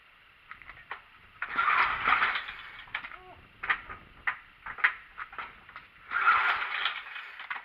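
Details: Simplicity Broadmoor 707 or 727 garden tractor with the choke jammed closed: two short bursts of starter cranking that never catch. A crank no-start; owner suspects no spark, later possibly flooding, not confirmed.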